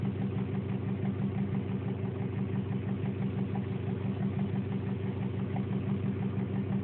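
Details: 2002 Subaru WRX Impreza boxer engine at idle: a steady light knock or tick of about three a second. It was traced to the cylinder head, not rod knock.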